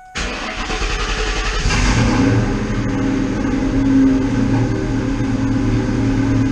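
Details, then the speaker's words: 99-04 Mustang GT after fitting a 130 amp alternator in place of the factory 105 amp unit. It cranks briefly, catches and settles into a steady, even V8 idle with no knocks or squeals and no battery light. "no battery light all right as I ran in a couple weeks"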